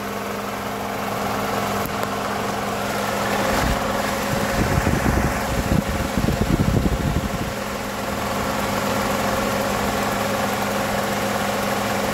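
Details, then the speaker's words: 2012 Toyota Camry 2.5 2AR-FE after balance shaft replacement, idling after 4 minutes with the AC on: steady low hum with only ordinary engine clatter, and the earlier rattle is far quieter. "you can hear it but it's not as significant as I would consider it but it's it's going to be some noise there I mean these engines aren't aren't quiet"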